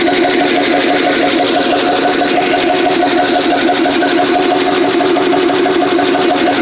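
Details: Warm small-block Chevy V8 with headers after adding a fuel pressure regulator to cure a flooding carburetor, no leaks (plugs sooty); loud, steady idle with an even, unbroken drone and no stumble or misfire; normal idle.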